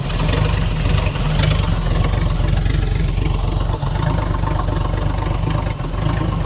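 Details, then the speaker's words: Ford Falcon petrol six, about a 1968 model, parked since 1990 with 20,000 original miles, running on fuel poured into the carburetor bowl with choke off: low, fairly steady idle with slight dips; holds idle but has a flat spot when revved. "She's got a good flat spot when you try and rev it, but I don't want to hurt it, either."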